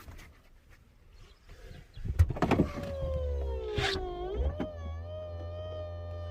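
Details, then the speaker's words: 2003 Mercedes E320 CDI estate, electric tailgate opened via buttons: electric motor whine that sags then steadies, with clunks as the gate moves; very noisy power tailgate that sometimes misbehaves or seems misadjusted, cause uncertain. "je la chandelle par contre ça fait un bruit infernal tous fait du bruit qui sont dans cette voiture"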